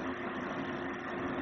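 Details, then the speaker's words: Sony Genezi mini audio system HCD-GTR33, which shuts off by itself and has faulty audio; the cooling fan whirs steadily nonstop with volume at zero, though it should only speed up as volume rises. "por otra parte acá podemos observar que el ventilador se encuentra encendido"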